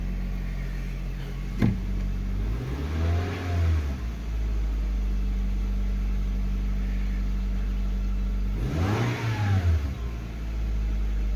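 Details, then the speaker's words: 2001–2005 Honda Civic after replacing spark plugs for a misfire with flashing check engine light: steady, even idle with two clean blips up and down, no stumble or shake; runs smoothly. "so now we are running i mean pretty good it feels more responsive than when i first bought it"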